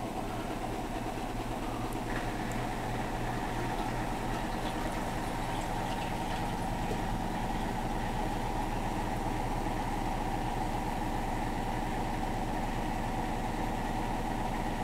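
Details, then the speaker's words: Hotpoint NSWM 1043C W UK N 10kg inverter-motor washer spinning a possibly unbalanced load (dust sheet, rags): steady, even spin hum with pump underneath, no heavy thumping, though various peculiar ticks noted while spinning; spinning and draining normally. "now we're in a spin sounds more promising there's various ticks when it's spinning quite peculiar"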